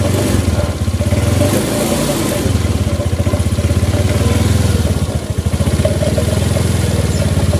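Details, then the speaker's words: Suzuki Nex automatic scooter revving unevenly, its beat faltering and surging as the throttle opens under load after deceleration. This is CVT drive judder, not a carburetor fault. "jadi saat kita akan ngegas mau jalan ada beban dia akan seperti nyendat-nyendat seperti itu tapi nyendat-nyendatnya bukan karena faktor kabilator atau apa tapi dari segi sistem penggerak"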